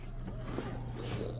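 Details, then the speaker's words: 1996 Camaro Z28 LT1, about 30 years old, running while the gas pedal is pushed: steady low drone that never picks up, throttle only opening to 6%; disconnect between throttle linkage and throttle body, old parts breaking. "So there's a disconnect between my throttle and the throttle body. And I can hear it."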